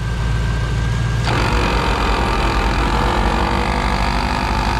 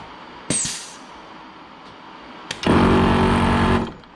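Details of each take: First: 15-year-old ARB CKMAT12 twin compressor on Jeep CJ, engine running, airing tires toward 36 psi: steady drone with coarse marble-mixer/coffee-grinder rattle from one pump that blew its fuse; faulty pump, rebuilt with kit 320303. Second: 15-year-old ARB CKMAT12 twin compressor on a Jeep CJ after one-pump rebuild with kit 320303 and new fuse, lockers engaged: short steady buzzing run starting and stopping cleanly; fan noise only, no leaks, normal.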